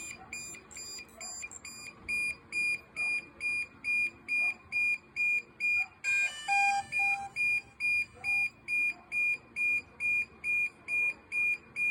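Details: DJI Mavic Air 2 drone: loud high-pitched beeps repeating steadily about twice a second without stopping, continuous warning alarm of unknown cause.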